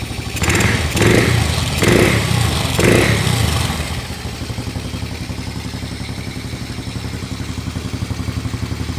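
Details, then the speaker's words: 2003 Honda TRX 90 ATV single after throttle blips, choke off: steady even putter with regular firing and no misses; normal idle after valve adjustment restored compression and the carburetor fuel needle was changed. "You guys can hear it idles nice. We just changed that fuel needle in the carburetor, added some fuel."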